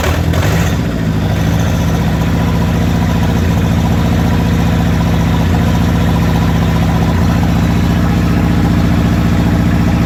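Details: Toyota 22RET engine misfiring at idle: steady low idle with a stumble every couple of seconds where the beat breaks and catches up.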